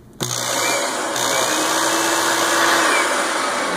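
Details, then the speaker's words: Rug Doctor carpet cleaner after pump kit replacement, switched to tool setting: motor jumps on, then steady buzzing hum with light uneven clicking; pump running continuously under power as intended. "when I turn it onto the tool setting the pump will just run all the time"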